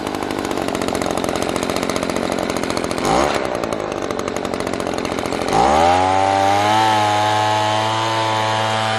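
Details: Echo PB-200 two-stroke leaf blower, found abandoned roadside, after cheap fix (carburetor line and bracket refitted): buzzes at idle, then winds up to clean steady high-pitched scream and holds it; normal running.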